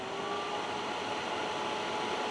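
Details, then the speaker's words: Optoma HD141X projector after replacing the missing color wheel index mark, door switch bypassed and no working lamp: a steady even high whir with no buzz or rattle as the wheel spins up before the expected lamp error; normal spin. "hear that no buzz just spin and we'll get a lamp error in a moment"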